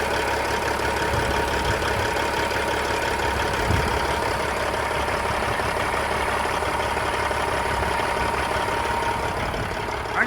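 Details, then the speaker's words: 1999 Freightliner FLD120, rebuilt pre-emission CAT 3406E, 13-speed, oil filler cap off for a blowby check: big diesel idling with an even, steady clatter and no odd knocks or misses; minimal visible blowby, healthy engine at idle. "very minimal for a cat which normally has visible blowby um quite a bit of it compared to well Cummins and cats seem to both have a lot of visible blowby so that's decent in my opinion looks good and it runs good"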